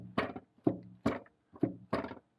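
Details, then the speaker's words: Nuoman NM-E08 mini excavator after one year, engine cover removed: worn, low-quality engine mounts let the whole engine rattle, making hollow wooden thunks about twice a second as the engine hits the seat. "The engine mounts seems to be pretty shot, because I'm not sure if I can do it right here, but yeah. Entire engine just rattles about."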